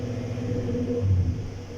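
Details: 2018 Sierra at idle, no engine codes, live fuel trim data swinging: a deep rumble that swells and sags unevenly. The misfire is blamed on the fuel pump; dirty injectors are also suspected.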